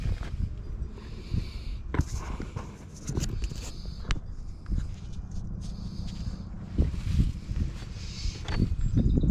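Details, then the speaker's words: Snapper riding mower left outdoors all year, jump-started with battery pack to starter: two harsh one-second grinding bursts, engine never catches; starter gear found broken, only half the gear left. "start. All right. If you hear this, you definitely have a problem."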